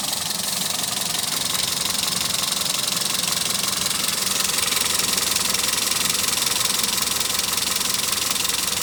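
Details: Toyota Etios engine noise at idle: fast, fairly even tick around 220 a minute under heavy hiss; abnormal noise, cause not pinned down.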